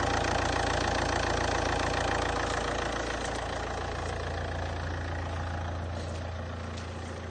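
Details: Saab 9-3 1.9 TiD diesel after fixing a no-crank no-start caused by a damaged ground cable: steady, even diesel clatter at idle with a smooth low drone, no misfire or knock; engine sounds healthy.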